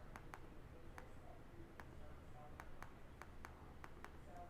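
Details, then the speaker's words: 15" MacBook Pro Late 2013 after battery replacement and reassembly: about ten crisp, sharp trackpad clicks over quiet room hum; the trackpad clicks cleanly again and works normally. "trackpad is now clicking again"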